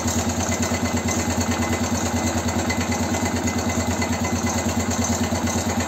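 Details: BM Motard 259 after engine rebuild: steady idle with a regular light knock about three times a second; owners search for it, unsure whether it comes from the top of the engine, cause unknown.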